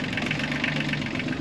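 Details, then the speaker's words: Yanmar 3YM30 three-cylinder marine diesel at anchor, after clearing hydrolock and replacing the oil and oil filter and fitting the air filter: starts first time into a steady, even idle clatter with no misses or heavy knock; still some white smoke. "it's already on sure starts first time which is great"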